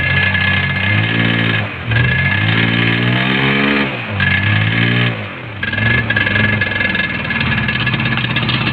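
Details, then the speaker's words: Honda CBR 150 motorcycle, ECU error suspected, dirty green-corroded spark plug current, noisy fuel pump: engine surges and stumbles, dies unless throttle held, white smoke from rich mixture. "Masih saja tertunda. Jika saya tidak menahan tuas gas, mesin akan mati total."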